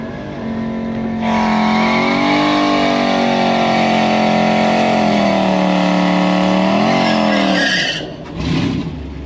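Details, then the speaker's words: Supercharged E55 AMG with long-tube headers and stock muffler, drag racing at full load in 80° heat: engine screams up hard, then a sharp pop and the note collapses; an exhaust section blown off. "Sounds like I just broke something. Did you hear a pop? Okay. All right. We heard some pop, but we're going to go."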